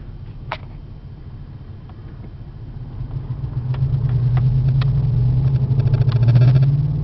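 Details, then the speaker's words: 1994 Chevy Caprice Classic wagon V8 driving, about 50–55 mph: deep droning exhaust rumble swelling as it pulls up to speed, much louder than stock. Leaking, worn exhaust system. "There we go. Now you can hear that exhaust."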